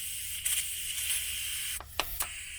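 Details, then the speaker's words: ARB tire deflator on a tire valve: thin, steady high hiss with little air escaping because the valve core isn't fully unseated from the valve stem body; turning the plunger more turns fixes it. "there's some air coming out but not very much air this is because the valve stem core isn't fully out of the valve stem body"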